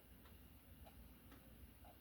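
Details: Cheap clock that had stopped working, after two days of repair; quiet, regular tick about twice a second with even spacing and no hesitation, running normally.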